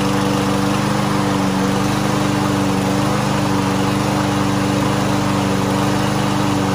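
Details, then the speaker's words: Lawn Boy lawn mower unused for almost a year, after carburetor cleaner spray, started without starting fluid: even, steady single-cylinder buzz with constant pitch, no hunting or misses; running well. "ya está mire ya está jalando ya está funcionando muy bien"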